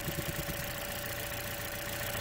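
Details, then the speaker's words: Warm petrol engine idling evenly after warm-up, with a light rapid thumping from the EVAP purge valve clicking open and pulling vacuum; normal purge valve operation. "okay so I'm back and I don't know if you can hear that a little thumping noise that's his purge valve it's working and I can feel it pulling on my finger now that means it's working it opened up correctly after I warmed up"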